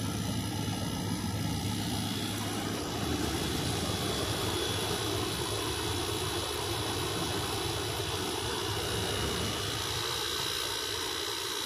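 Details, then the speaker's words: 2003 Whirlpool 5000 BTU window air conditioner, model ACD052MM0, blowing cold with the fan on high: steady even airy rush over a faint constant motor hum, no rattles or pulsing. The fan is running normally and very quietly. "Wow, this sounds really nice. It's very quiet. Very quiet. I'm liking this."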